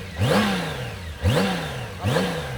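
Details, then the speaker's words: Honda Goldwing trike, before oil change; three throttle blips rising cleanly and falling back to a smooth idle with no hesitation or rattle, intake audible; normal revving. "Amigo, it's running smooth. It's running smooth. Počúvaj to ešte raz, počúvaj to. Krásne, motor ide krásne."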